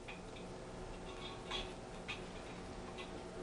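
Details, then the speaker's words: Antique grandfather clock with crutch rod deliberately bent: quiet ticks at lopsided spacing, short gap then long gap instead of an even tick-tock; extreme out-of-beat condition. "and that's an extreme example of something being out of beat."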